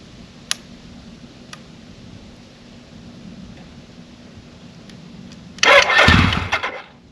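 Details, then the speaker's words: 1983 Suzuki GS1100E, 4,900 original miles, first start after years off with carbs back on, new battery and fluids: short crank catches, the four snaps up in revs and settles cleanly; tight and healthy, slight smoke from residual oil. "that's awesome exactly what I want to hear there's a little bit of smoke you might see that's just from the residual oil burning off"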